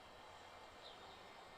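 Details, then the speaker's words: Macintosh LCII, powered up again after work on its power supply: only a faint, steady fan hiss and no startup chime. The fan and hard drive now spin up, but it doesn't boot. "Okay. Again, no chime. But the fan did spin up, as well did the hard drive."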